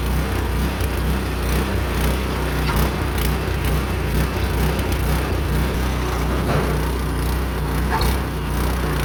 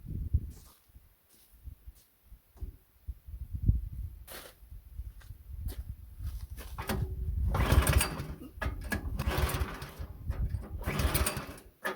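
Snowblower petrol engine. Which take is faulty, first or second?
second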